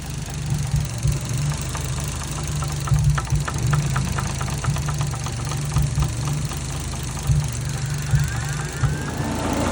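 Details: Warm idle on a 1JZ-GTE MK3 Supra: light, fast intermittent top-end knock about four times a second, loudest via stethoscope at cam cap number one exhaust; only occurs when warm and seems to fade with rpm.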